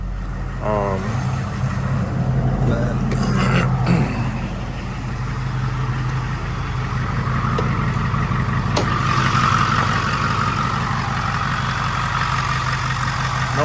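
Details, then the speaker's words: Powerstroke diesel F350 dually long bed, first start after installing SPE Motorsports fuel filtration kit replacing stock filters; smooth even low diesel rumble at steady idle, no knocks, ticks or misses, no leaks or check engine lights; normal idle. "I'm going to let it run for a little bit longer um just to make sure that uh I have no leaks 100% And that the truck is not throwing any check engine lights or or sounding weird"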